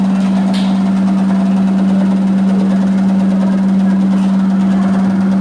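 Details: Electrolux 15kg commercial washer in spin: steady deep hum with loose, uneven low thump, sounds like a helicopter at 600 rpm but not at 1245 rpm; cause unclear.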